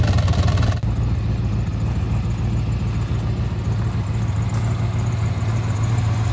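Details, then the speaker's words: 1995 Impala SS, Blueprint crate LT1 355 with LT4 hot cam, after most exhaust leaks repaired: deep lumpy V8 idle loping about three times a second, steady and even, no ticking or puffing; healthy. "Okay, back from the exhaust shop. It sounds so much better."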